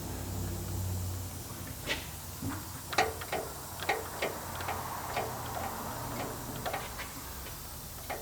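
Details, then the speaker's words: 2011 Subaru Outback with front-end vibration at 15 to 40 mph: light irregular clicks as front axle is pushed up and down at transmission end, showing play in a worn CV axle; boot has a hole. "There's a lot of play in these axles up and down. So if I push up on this section, the part going into the transmission, if I push up on it, so I'm not sure if y'all can hear that,"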